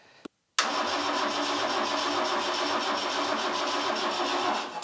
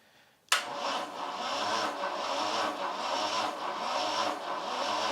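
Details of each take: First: Vauxhall Chevette engine abandoned over 10 years, cranked on a borrowed diesel car battery: brisk even cranking spinning quickly for about four seconds without firing; owner suspects a higher compression ratio. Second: Vauxhall Chevette engine parked over 10 years, compression test with throttle held open: slow labouring crank about one beat a second on weak battery; 70 PSI on cylinder one.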